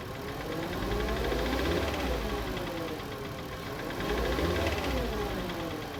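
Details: Cold start of a 2012 VW Passat 2.5L with 125k miles: light rapid tapping, about three or four per second, over the idle in the engine bay; owner suspects water pump or belt tensioner, source unclear.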